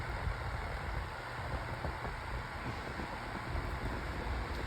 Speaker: And it's out of balance. Yeah, it's out of balance. You can hear it rattling.